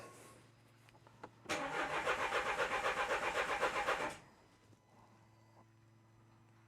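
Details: 2013 Renault Scenic III 1.5 dCi (K9K636) after four new injectors: starter spins evenly at four-odd beats a second for under three seconds, never fires; rail pressure falls away when injectors connected, blocked fuel rail.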